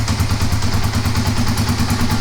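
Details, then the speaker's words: Kawasaki KLR250 with 4,500 original miles, normally very hard to start, now cold on choke with no throttle: single-cylinder thumping at a quick, even beat, steady, no misses; normal cold idle on choke. "Yeah. I mean, it's working right now. So, it's a lot better than it's been."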